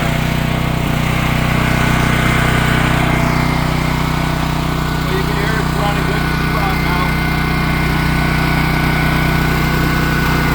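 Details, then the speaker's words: Champion dual fuel generator on gasoline, restarted on full choke after being run dry with the petcock shut: it sputtered briefly because the fuel system was dry, then settled into a steady, even drone with no misses or surging. Normal running. "let it sput a few"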